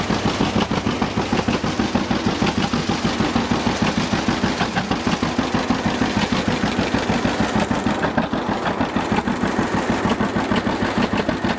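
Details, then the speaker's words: 1950 John Deere GW two-cylinder tractor (live hydraulics, Char-Lynn power steering, Baker valve) after starting: even, loud putt-putt beat in a steady rhythm with no misses or knocks; healthy running. "so this is good running old g let's check it out a little bit just listen to it and i'll show you around so"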